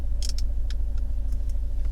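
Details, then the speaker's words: Fiat 124 Spider 1.4L MultiAir Turbo at a red light after camshaft inspection for a known cam issue; steady low, even idle rumble with no misfires or stumble, faint cabin clicks, GoPro recording. "see no misfires idle is fine that was the first red light"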